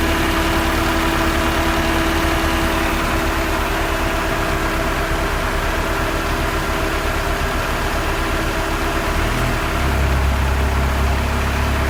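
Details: 1991 Honda Civic after engine and transmission rebuild, new Matsushita AC compressor (no clutch, no release valve) fitted: smooth idle with AC running, no rapid ticking; loud compressor ticking fixed, brief ticking ~5 s at switch-on.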